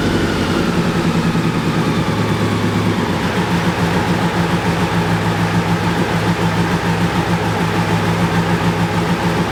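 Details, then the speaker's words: BMW K100 cafe racer, after off-camera repair of the no-start problem: smooth even idle with a steady low hum, no knocks or stumbles; healthy and settled. "so i just wanted to tell you the end of the story the bike is running nice and smoothly and i finally finally figured out the problem"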